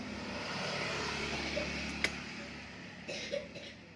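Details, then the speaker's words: Carburetted motorcycle starts but stutters and nearly dies when the throttle opens (brebet), roughly sagging with uneven pops; fuel delivery unstable at upper throttle, main jet suspected clogged, to be cleaned along with the carburetor. "seperti kita hidupkan dia mau hidup tapi diwaktu kita tarik gas motornya mau mati alias brebet ya jadi bahan bakarnya kurang stabil dalam merespon gas bagian atas"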